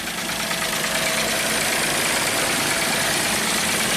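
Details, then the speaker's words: 1995 Mercedes E320 wagon, not run for a year, crankcase full of oil, first start after the fix and a cleared crank sensor code, cold before warm-up. An even, steady idle with no irregular knocking; normal idle. "running smooth now keep in mind this crankcase is full of oil this car is not running a whole year so i'm going to warm it up for a couple minutes"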